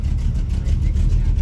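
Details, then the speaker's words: 1982 Chevy/GMC square body pickup, revived after about 5 years parked in a field: deep even idle, no knocks or misses, alternator charging, plenty of oil pressure, temperature coming up; running pretty good. "sounds like it's running pretty dang good which is awesome"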